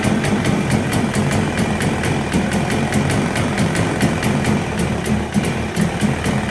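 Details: 1977 Evinrude 35 hp two-cylinder two-stroke outboard, ignition timing set manually, first start: quick, even putter at steady idle, regular firing pulses, no misses or knocks; idles cleanly, though under-load performance untested.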